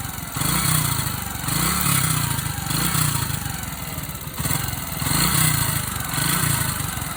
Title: yb125 strange engine sound